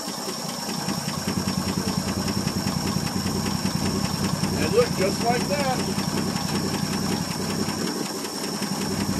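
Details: 1959 Ford F250 223 (possibly 262) straight-six idling just after a cold start following 3–4 years sitting: slightly uneven but steady low idle at about three beats a second, no knocking, 40 lb oil pressure, turned-down muffler.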